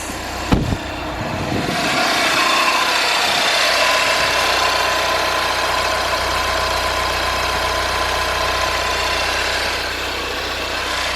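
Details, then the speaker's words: 2014 Passat TDI diesel at idle just after a new injector was fitted and coded: a loose, uneven clatter rides on the idle, which the owner attributes to the flywheel (suspected, not confirmed). "All right, wrap this up. You hear my [Applause] flywheel?"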